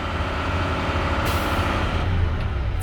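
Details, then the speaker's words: Automatic Class A tractor-trailer air brake test: accelerator pressed to build air from about 90 PSI, then released near 120. The truck idles steady, then a sharp purge hiss as the governor cuts out at 120 PSI, a normal pass. "This is a good test. My Governor just got out. My needle is at 120 PSI. This is a good test."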